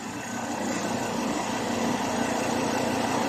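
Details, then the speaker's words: Ford Ranger 3.2 diesel idling while body is rocked, after tightening the shock absorber top nut: no knock or clunk comes through; shock mount now quiet. "Ayan, wala na siyang tunog. Pinihit lang natin yung nut sa ibabaw."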